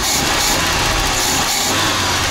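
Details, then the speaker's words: Audi converted from fuel injection to a Solex 21041 carburetor; the owner complained of unstable idle and stalling. After carburetor idle-system adjustment it holds a steady, even idle with no hunting or misses. "вот так не холостой ход у меня сейчас работает"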